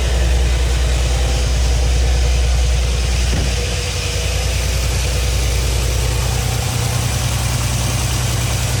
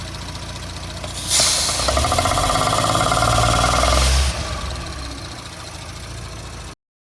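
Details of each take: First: 2017 Audi B9 S5, EA839 V6, 67,000 miles, returned with another rocker arm failure, before repair. Idle has an audible regular tap about three per second on bank two; an inspection camera showed the old small-shape rocker bearings. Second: 2017 Audi B9 S5 EA839 V6, 67,000 miles, after engine removal, replaced rocker arms, upgraded camshaft adjusters, carbon clean and fresh oil: catches after short crank, flares, settles to steady even idle; bank-two ticking gone.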